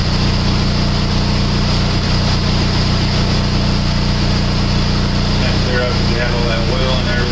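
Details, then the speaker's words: PT Cruiser 2.4 after used cylinder head installed to cure idle misfire: steady low idle hum, even, settling as it warms over 5 minutes, no knocks or misses; small existing exhaust leak noted. "as you can see the more it runs the smoother it gets it's been running out for over 5 minutes"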